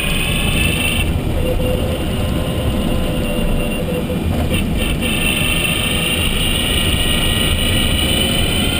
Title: Zoe Q210 Motorgeräusch 63.000km